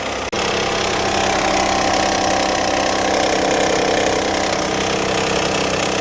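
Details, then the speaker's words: 2004 Hyundai Santa Fe 2.7L, customer complains of engine noise, accessory belt off and noise remains: uneven slapping clatter, about three or four beats a second, over a steady idle, a timing belt flopping and slapping. "yeah that's your noise right there is the belt flopping and slapping look I mean see the other side while I'm doing this you can see it moving"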